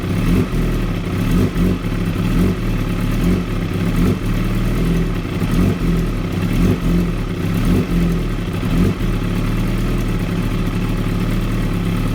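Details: 2016 ZX-10R motorcycle with a very rough idle: low and lumpy, with uneven surges roughly once a second and some clatter.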